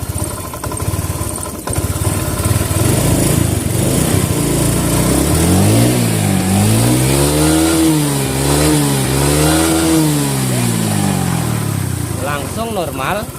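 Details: Fuel-injected motorcycle that stumbled and bogged when throttled, tested after the TPS sensor was repositioned and aligned: clean, crisp revs rise and fall smoothly with the throttle, with no stumble or hesitation; it now pulls normally.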